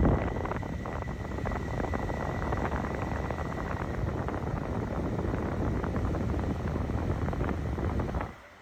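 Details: Portable AC after PCB repair/replacement (PCB had not powered on): steady airy rush, low hum and faint whine until shutdown; compressor and indoor fan motor run together, normal running.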